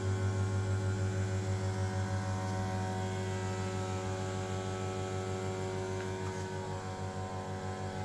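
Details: 1989 Kone rope hydraulic elevator in a Copenhagen apartment, recorded in the machine room: steady low motor hum with a faint even pulse about three times a second, no knocks or grinding; normal pump run.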